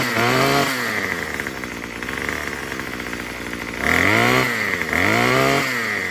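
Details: Murray M2500 two-stroke trimmer after the new carburetor's high-speed screw was turned counterclockwise with the kit tool; picks up cleanly and quickly on each throttle blip with no stumble. It no longer bogs much.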